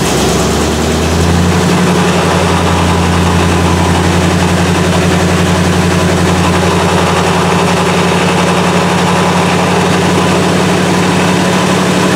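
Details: 1977 Malibu V8 cold idle on a cool day, in neutral, new distributor just fitted, right after start; deep, steady, even idle with no misses, knocks or hesitation; healthy.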